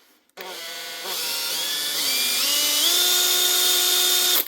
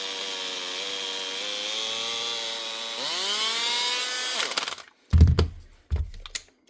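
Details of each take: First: Makita 18V brushed drill, 2021 and lightly used, after a brush change, tested at low speed to check the armature: the motor spins up in smooth steps to a clean, steady whine with no jitter, so the armature is okay. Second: Makita DHP458 18V brushed cordless drill running rough: harsh, gritty whine rising then dying off, then handling knocks. Worn arcing brushes have melted the brush holder, possibly with a bad armature too; brushes and holder to be replaced first.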